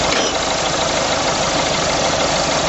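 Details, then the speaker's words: Engine idling, alternator (under the power steering pump) heard through a listening extension: steady, even hum with no bearing rumble or knocking; belt tensioner barely shaking, so all components are working correctly. "I can also see the fan Bel tensioner the tensioner isn't shaking a great deal it's it's telling me that it's everything's wor everything's working correctly on this vehicle"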